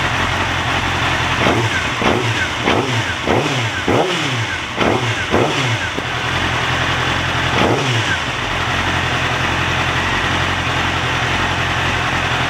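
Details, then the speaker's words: Yamaha YZF-R6 after replacing broken ECU connector, first start, warming up: steady, even idle with smooth regular beat and a few brief throttle blips; no engine light or error code, running normally. "um I switch it on um I let it warm up for a while"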